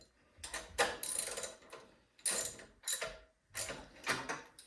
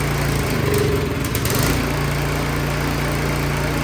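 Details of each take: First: Craftsman 22" snowblower no-start with good spark: uneven pull-cord cranks, then about three seconds of running on starting fluid that dies; points to fuel, suspected old gas gumming the carburetor. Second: Craftsman 22-inch snowblower that would not start, started on choke after reassembly: a rough catch, then a steady, even buzzing run with no stumbling, running properly.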